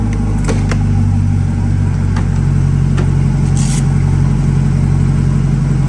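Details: Chevrolet Corvette C8 just after transmission replacement, first start: steady full V8 rumble with even low hum, no knocks or driveline whine, no transmission error code; normal idle.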